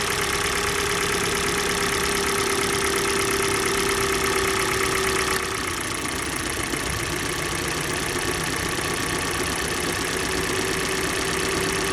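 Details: Kia Sportage G4NA engine, cold, at idle: a steady, fast tapping knock persists as ignition coils are disconnected one at a time. Knock source still unknown.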